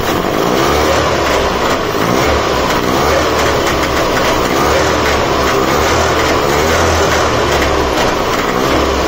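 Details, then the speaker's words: Trabant 601 two-stroke, cold, on choke with just fitted replacement carburetor, fuel on reserve: steady even buzz without misses or surging for nine seconds; running nicely, idle and mixture corrections still to do once warmed up. "it's running nicely ah it needs just Corrections so turn off the ignition and just make a few changes and everything"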